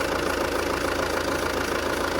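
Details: Alfa Romeo Giulietta diesel idling in neutral just after a fuel/diesel filter change and fuel pump priming: even clatter at steady idle, no misses or hunting; engine settles in and runs smoothly.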